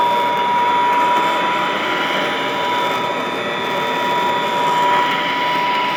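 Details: Vintage all-metal Royal Model 153 vacuum, 3-amp bushing-style motor, owned 22 years: constant even whine at one pitch, no knocking, grinding or surging; smooth, very quiet, normal running.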